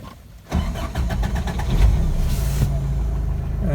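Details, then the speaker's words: 1985 Toyota pickup 22R 2.4L after intake cleaner, warm after 20 minutes driving and 35-40 minutes idling: crank about one second, catches cleanly into steady idle; healthy start. "throttle response is very good that hasn't really changed starts good let's see if it starts"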